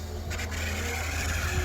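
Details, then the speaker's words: Drive motor of a homemade Winfield Collection Ferris wheel, turning slowly, kept outdoors in Missouri rain, wind and ice; steady high-pitched squeal over a low motor hum under light load; motor squeal. "it's going to close up the cover so you can hear the whining of this motor and squealing if it wasn't for that squealing motor it would uh sound like an actual real ferris wheel"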